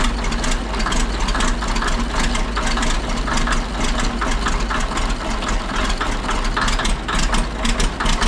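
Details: Ex-military 1959 International dozer diesel, sat months at scrap yard: after running a couple minutes, smoke cleared and it settles into steady even clatter at idle, no misses or knocks; engine sounds healthy.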